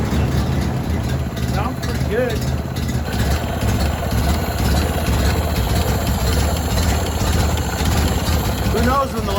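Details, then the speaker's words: 1930s Ford truck that hadn't run in over 70 years, started on a jump box with a condenser swapped from a Model A: a steady low thump at about two beats a second, no misfires or knocks, running well. "runs really good right there that's pretty badass"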